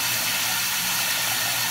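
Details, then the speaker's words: Toilet that won't stop running: steady unbroken hiss of water feeding the tank with no pause; a part inside has come off, probably broken, and another part appears to leak; flapper and fill valve to be replaced. "All right, I've got a toilet that won't stop."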